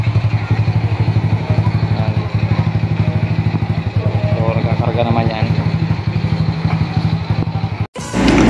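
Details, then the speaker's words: Rusi 125 motorcycle sitting unused for years, restored with rewiring, kick-started due to weak battery: single-cylinder thumping at a steady, even idle, quick regular beat, no misses or stumbles; running normally. "umandar na siya umaandar na yan"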